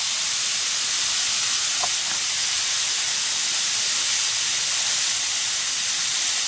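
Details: Nissan Maxima fuel injector on a test rig at 34 psi, with the pressure regulator confirmed working. A steady, unbroken hiss comes from the injector with no pulsing: it is a leaking, bad injector.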